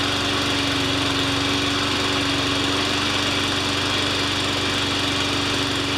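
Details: Honda engine on a Craftsman 21-inch mower after a new pull cord, lubricated rewind, air filter, loose valve gasket repaired, oil change and new Craftsman blade: steady, even buzz with no surging or misses; runs smooth.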